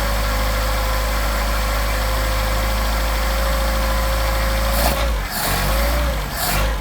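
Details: Engine with 44PHH Solex carburetors, cold and warming up unchoked after a nice start. Steady, even low idle with an unbroken drone and no knocks or misses, shaking the concrete; normal cold idle.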